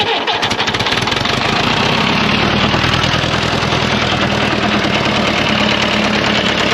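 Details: 1954 Fordson Major diesel tractor, first start after fresh oil and diesel: heavy, rapid metallic knocking over the clatter at idle; owner wonders if bearings are gone or the engaged starter made the noise; unconfirmed.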